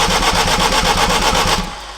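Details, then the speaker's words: Turbo AWD Acura RSX build, first start attempt on a base ECU tune with a fuel cell and TPS disconnected: starter cranks steadily at about seven pulses a second without firing though fuel is smelled; crank no start, cause unconfirmed. "give it a little fuel man it's like doesn't want to start man it like you could smell the fuel"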